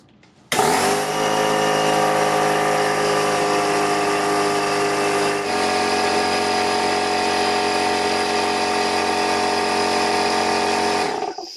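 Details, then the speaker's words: Craftsman pancake air compressor owned about 17 years, running with the housing removed: a steady motor drone with a constant airy hiss, air escaping at the rear cover of the compressor pump head. "and yep there it is right there right at the rear of the compressor motor"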